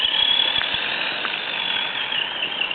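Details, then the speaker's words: FTX Kanyon RC crawler, stock 60T motor replaced by 35T with smaller pinion, gear mesh correct, diffs and gearbox freshly greased: thin steady high whine with faint irregular ticks at low revs in low range, quieter at speed; cause unknown. "But this is making some strange noises at low revs. So you'll hear what it's like, and then you can decide."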